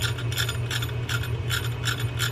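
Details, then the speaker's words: Penn JigMaster 500S saltwater reel cranked gives a raspy chirp about three times a second; the reel seat tilts and the frame buckles out of alignment; fix is replacing the reel seat. "the tilt will cause the frame to buckle and you hear that chirp"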